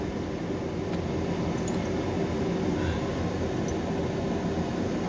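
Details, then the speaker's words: HQ Holden Kingswood with newly installed Vintage Air A/C, blower on high (flat out), dual face-and-floor vents: steady even air rush with low hum, no ticking, rubbing or wobble; healthy. "that's on face and on the floor so you can see how much air that's moving down just to that floor area there blowing that paper around so that's pretty good"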